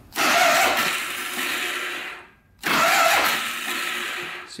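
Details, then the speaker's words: Polaris Sportsman 500 4x4 ATV with a low battery, cranked on a jumper. Two bursts of free, high whirring with no cranking thump; the starter spins without engaging, and the owner suspects too much friction under the cover. "spins like that like the starter isn't engaging I think it's this thing causing problems it's like too much friction"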